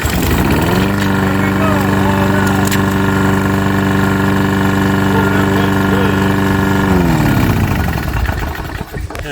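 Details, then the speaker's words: Lawn mower over 20 years old with no maintenance would not start even after a new carburetor, spark plug and air filter; fixed by sanding rust off the flywheel magnets and magneto pickup coil. Now runs at a steady, even drone, then shuts off cleanly. "So they cleaned that magnet off and the magneto and it all worked. Take a look at this. Just perfect now."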